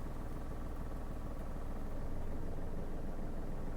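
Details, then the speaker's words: Manual car in first gear with handbrake on, clutch released to the biting point: steady idle rumble deepens and labours slightly as the clutch bites, the sound change marking the biting point; normal engine response to load. "ये देखो sound change हो गया। एक बार और सुनो। ये देखो sound change हो गया। यह बाइटिंग पॉइंट है।"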